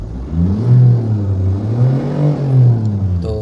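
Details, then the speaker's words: Tata Harrier/Safari, after replacing the bad belt-side bearing under warranty to cure an engine-side humming noise: engine revved and settles smoothly with a deep even note, no hum or whirr from the belt; normal running. "कुछ भी आवाज नहीं आ रही है। एकदम normal हो गया।"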